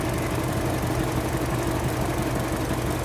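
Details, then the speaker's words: 2008 Mini Cooper intermittent cylinder 4 misfire at idle: uneven, lumpy idle with about two irregular stumbles a second; injector firing, injector, spark plug and coil replaced, 205 PSI compression, 13% leak-down. "2008 Mini Cooper cylinder 4 Miss fire injector is firing injector has been changed spark plug and coil have both been changed and are firing has 205 PSI of compression and a 13% leak down"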